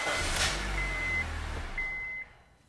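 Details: 2009 Honda Civic with an intermittent immobilizer fault: on the problem key the engine fires and runs about two seconds, then cuts out abruptly; the immobilizer stalls it, and a different key works fine, so the key is suspected.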